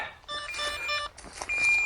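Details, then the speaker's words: DJI Neo 2 drone crashed into bracken after clipping a branch: repeated shrill electronic beeps from the downed drone, its ESC lost-drone locator alarm. "Okay, I'm going to go back into my settings now. Stop it from beeping."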